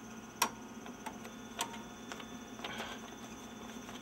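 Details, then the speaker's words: Apple LaserWriter Plus (filthy): a few sharp clicks and faint mechanical chatter but no sheet drawn in. The pickup misses the paper and the jam light turns on; paper pickup misfeed. "there's a very special fine point here where it wants to take the paper and it missed it so the jam light turned on"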